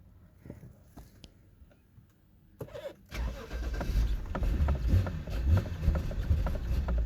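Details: 2012 BMW 528i (F10) cold start: a few seconds of cranking, then it catches to a rough, uneven idle. It would only start cold with a foot on the gas and ran smoothly warm. Faulty eccentric shaft sensor, later replaced.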